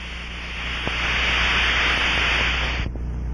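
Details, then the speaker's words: Aircraft fuel cell, drained and pressurized with air or nitrogen to at least 2 to 5 psi, scanned with an ultrasonic probe: steady rushing hiss that rises then cuts off sharply, air escaping through a leak; residual fuel may crackle. "in certain cases you may hear a crackling sound from residual fuel in the tank as it is forced through the leak hole"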